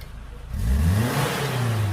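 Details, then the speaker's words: Suzuki Katana (Jimny) ex-racing engine just rebuilt and returned to stock after white smoke; first revs after reassembly. Picks up cleanly from idle into smooth rising rev, holds steady, no misfire or knock; only exhaust dust puffs out, no white smoke. "Oke ini kalau keluar asap tapi ini debu kapot ya bekas-bekas debu knapot bukan asap putih lagi tidak seperti kemarin"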